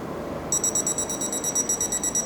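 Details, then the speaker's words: Smart Dog in-ground pet fence receiver collar on a tester, steady high-pitched beeps about ten a second with light on while correction fires; shock being administered, working normally. "You hear the beeping, you can see the light, the shock is being administered."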